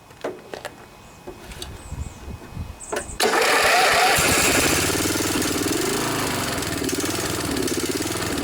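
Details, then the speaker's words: Snapper SR1028 rear-engine riding mower, Briggs & Stratton flathead, junkyard rescue, air filter fitted, before carb mixture tuning: cranking clatters, then catches and settles to a steady even beat; sounds good once warmed up, slight surging stutter remains. "sounds pretty good once it's warmed up so it sounds pretty good"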